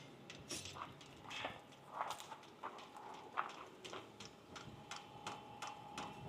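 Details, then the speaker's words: Newly installed diesel heater during its start cycle: light even ticking about two per second over a quiet background as the dosing pump primes fuel normally. "And it is building fuel through there."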